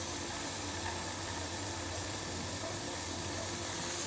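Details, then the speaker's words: Pressure canner canning corn, venting before the weight is put on: a steady, even steam hiss with no sputter or surging as pressure builds normally. "whenever you hear that that's just the way that the canner starts to build the pressure up and it's going to make some of the noise so you can hear that kissing sound"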